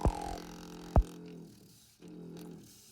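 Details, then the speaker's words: Low, steady droning hum in a house's pipework that cuts out and returns. A boiler fault was ruled out by capping the water shock arrestor. The hum stops when a finger is placed on the vibrating float (ball) valve. "when i stick my finger in it stops so that proves that it is this uh ball valve banging pipes strange noises in the night this is what we get called to"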